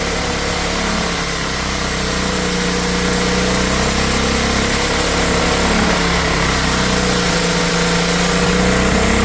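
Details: Old Honda generator stored about 20 years, running on choke and powering a drill: steady, even drone at constant speed with no hunting or surging. Normal running under load; owner suspects a remaining carburetor issue.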